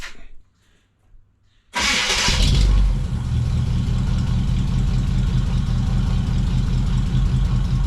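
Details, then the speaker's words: Start and idle of a 1979 Suburban V8 after installing new dual exhaust with glass packs on a Y-pipe; quick crank, catches and settles into a deep, loud, even burble; sounds pretty good, maybe a bit loud. "sounds pretty good I might get in trouble with the police but"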